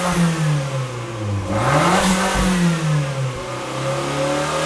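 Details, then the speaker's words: Fiat 500 Abarth turbo engine swapped into a Fiat X1/9, no muffler, only turbocharger, catalytic converter and twin stainless tips: loud raw exhaust rising and falling cleanly through blips, back to even idle; normal running. "again there's no muffler all we have on here is a turbocharger catalytic converter a white pipe and it branches up into these two stainless steel tips"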